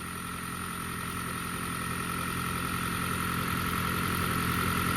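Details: 2012 Toyota Prius with an intermittent misfire-related death rattle, here idling steadily and evenly with a soft low hum and no shaking or rattle while the fault is not occurring; normal idle.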